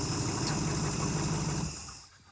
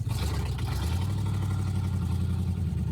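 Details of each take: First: 1971 Chrysler eight-door airport car idling without coolant after epoxy patch: steady even low rumble for under two seconds before fading, no knock or miss; runs good, no leak, smoking profusely. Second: Inside the cabin of a 1971 Chrysler eight-door airport car driving with no floor, stiff steering: loud steady low engine drone and raw exhaust roar at constant pace with no muffling; exhaust fumes enter the cabin.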